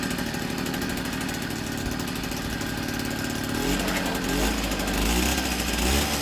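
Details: 1964 NSU Quickly S23 3-speed two-stroke moped, first start after engine rebuild, on premix (32 ml oil per litre); steady putter that picks up a little, even crisp beat, no knocks or rattles, healthy.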